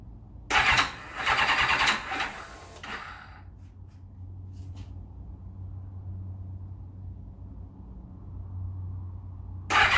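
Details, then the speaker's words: 1991 Kawasaki ZXR750 turbo build, Motec logger, first start attempt after reconnecting plug for lost spark: two harsh uneven cranking bursts jerking back against the starter, no fire; past crank trigger signal interference issues. Kickback, cause unconfirmed. "hmm okay something not quite right there it's kicking back on the starter motor hmm not sure what's going on here"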